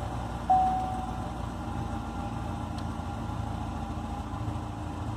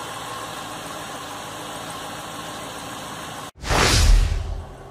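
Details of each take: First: Chevrolet Corvette C6 V8 idling: low, slightly uneven rumble, running rough especially at idle, consistent with a misfire, before diagnosis with an OBD2 scanner and repair. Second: Corvette C6 after a rough-idle repair at the ignition connector and spark plug wire: after a quiet lead-in the engine catches at once and settles into an even idle without stumbling, running normally.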